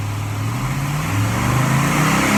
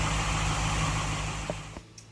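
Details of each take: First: 1947 Ford Tudor street rod V8 with rare Holley "whistler" carburetor at idle: lumpy idle with a thin high whistle over it, traced to air leaking from the carb primaries; carburetor vacuum whistle. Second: 1947 Ford Tudor street rod, Holley "whistler" carburetor: steady, even idle with no whistle riding on top, then shutdown. The whistle came from the primaries and was traced to the carburetor base; now a normal idle after the repair.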